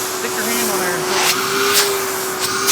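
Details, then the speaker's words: Vacuum cleaner from a mini meet (Royal, Hyla, Prolux, Eureka, TriStar) switched from half to full power: steady, even high motor whine at one pitch, no roughness or grinding; sounds healthy, normal running at full power. "[Music] That sounds healthy."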